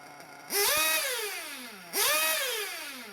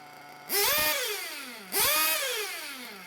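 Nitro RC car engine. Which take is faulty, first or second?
second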